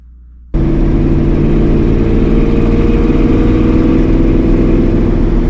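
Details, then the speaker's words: 1965 Ford Mustang with 302 V8 and headers: starts and settles into a steady deep rumble with a raspy puffing edge from a leaking exhaust header; driver-side header gasket to be replaced. "A little bitty 302, but it has an exhaust leak."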